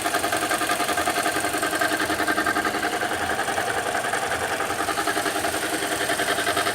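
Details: 2015 Toyota Corolla at idle: steady idle with a regular light pulsing tick, about three per second, over the engine; the owner asks what the noise is, source not identified.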